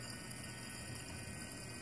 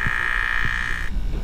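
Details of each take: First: BMW electric water pump after replacement: soft, even electric hum with coolant swishing steadily through and slowly rising as it speeds up; working normally, the radiator-fan-stuck-on-high fault repaired. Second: BMW with radiator fan stuck on high, coolant full, water pump vent mode activated by holding accelerator 10 seconds: thin high hum cutting off, low croaking pulses beneath; no coolant from weep hole, electric water pump failing, needs replacement.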